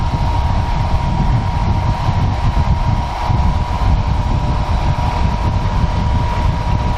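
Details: Honeywell ionizing HEPA room air cleaner running with its cover open before cleaning: steady low rumbling fan drone with a constant hum tone; dust and a few bugs inside, fan shafts dusty, about to be cleaned and oiled to cure a rattle.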